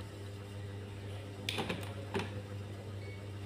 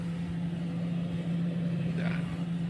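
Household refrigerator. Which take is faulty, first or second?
first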